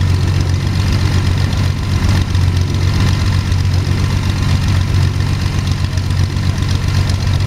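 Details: Sonex homebuilt aircraft, Jabiru 3300 six-cylinder engine with Rotec TBI, about 50 hours, first engine start after throttle set a quarter inch and mixture full rich; oil pressure 42, EGTs 700-800F; low even throb at idle, no ticking or misses, sounds really good.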